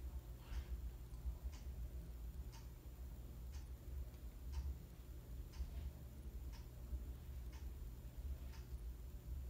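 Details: 42-inch Harbor Breeze Ocracoke ceiling fan, installed around September 2005 in a basement exercise room, on low speed with lights on: very quiet low hum with a soft tick about once a second; turning steadily, sounds healthy.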